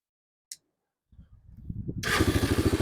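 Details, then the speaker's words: 2002 Honda TRX300EX single-cylinder quad, warm, after gas drained and refilled; starter click, a second of cranking, then fires straight away into an even thump about twelve beats a second; starts easily as it has since day one. "I love it when they start like that. Yeah, that's what it did from day one."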